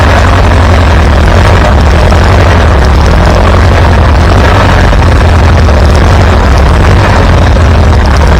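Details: Farmall B tractor running after a weak ignition coil was replaced, restoring strong spark; deep, steady low rumble with an even beat, no misses or knocks. Good oil pressure. Normal running.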